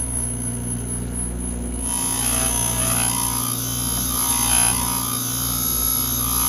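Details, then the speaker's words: Back-cutting an engine valve on a valve grinding machine with the valve held in a chuck: a steady motor hum, then a harsh, scratchy, uneven grind as the stone contacts. The stone needs dressing. "but let's just get to cut [Music] [Music] you can tell the stone needs dressed hear it"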